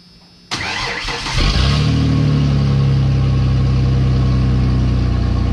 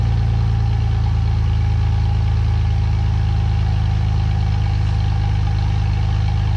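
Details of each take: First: 2017 Ford F150 5.0 after replacing catalytic converters, only one cat installed: cranks and catches, then deep, loud, booming idle rumble; louder than hoped, second cat probably to be fitted. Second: 2017 Ford F150 5.0 with both catalytic converters installed, air pump and return line removed, EGR retained: deep, steady idle with even low rumble, no knocks, misses or exhaust leak ticking; runs smoothly.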